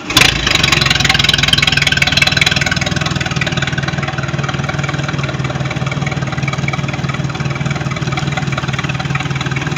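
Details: Mercruiser 3.0 L Sea Ray boat engine, after no-start issues, runs with a steady, even four-cylinder beat and smooth low thrum, no misses or knocks; running properly.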